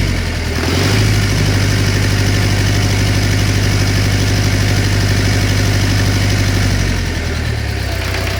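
Steady idle with a faint, uneven tapping riding on the low hum; a knock is present, but its source cannot be pinned down by ear.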